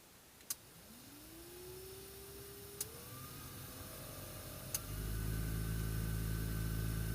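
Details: Blower fan of a VAZ 2109 heater spins up with a rising hum to a steady drone with a faint rustle; debris and dirt found inside the fan housing, whose cover appears glued on.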